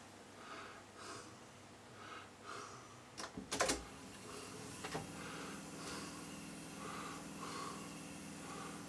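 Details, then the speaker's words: Sony TC-377 reel-to-reel tape deck during a service, checking modes: after a switch clunk the transport settles into a soft, even, quiet hum with no squeal or flutter, plenty of take-up torque; healthy transport. "and quiet. Plenty of torque on there for the take up."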